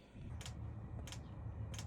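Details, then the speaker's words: Cheap Chinese diesel heater installed in a Freightliner semi truck, first start: three sharp, evenly spaced clicks over a low steady hum as the fuel pump primes, normal. "So, you can hear that fuel pump clicking. Priming that fuel up."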